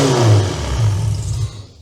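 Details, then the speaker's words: Tired demolition derby V6 at first start after build, fuel pump on, oil pressure 50 psi: rough, loud running for about 1.5 seconds then abrupt stall because the engine computer came unplugged and lost power. "Oh, the computer came unplugged. I didn't have Moretz on it, but she runs."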